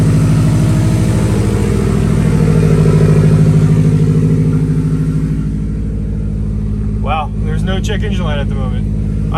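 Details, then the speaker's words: 2016 Subaru WRX STI, daily driven and abused, started on a jumper pack with check engine light: rough uneven idle right after start, stumbling beat like a cam lope; misfire, with low cylinder two compression shown. "uh when it is when it's warm it's just rumbling uh it sounds it sounds like it's missing honestly but you could you mistaken it for a cam if you wanted to"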